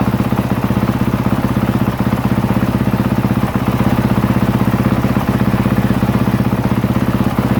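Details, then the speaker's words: 2023 Honda CRF450R single-cylinder idling warm, coolant a little over 200°F, charging at 13.64 V after a battery and stator check: even, regular thump at about four beats a second, holding steady; normal warm idle. "okay as you can see I got her up a little over 200 degrees coolant temperature that's hot enough"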